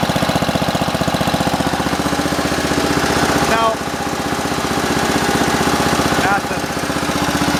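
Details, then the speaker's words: Simplicity 7010 lawn tractor, single-cylinder engine just restarted after head removal and spark plug replacement (old plug sparked intermittently): steady rapid firing with harsh raw bark each stroke, louder than stock; rotted, holed muffler leaking exhaust, needs replacing. "Yeah, I'm gonna have to replace that muffler."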